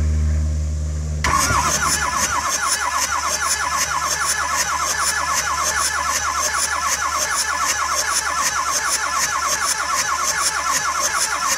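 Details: 2006 Ford F-350 6.0L diesel, not running, possibly overheated heads. Steady, even starter cranking at about 200 rpm that never catches, during a compression test through the glow plug ports (roughly 300–400 psi).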